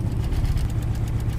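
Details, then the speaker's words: 1995 Holden Rodeo 2.6 with new distributor cap, leads and plugs; a lead had been off the distributor for years, sparking across. After moving the lead, uneven lumpy idle with a stumble every few beats, one cylinder dropping out. Misfire. "So what's happened before is the lead has been close enough to the distributor for the spark to jump and ignite the spark plug. Yeah, but that's running rough."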